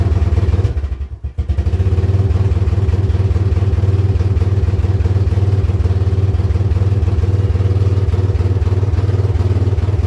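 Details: Yamaha Wolverine ATV, running poorly, started before any repairs; exhaust has holes: thumping single about three beats a second sags and nearly stalls, then idles lumpy and smoky; rough idle later traced to a faulty handlebar switch, unplugged to fix.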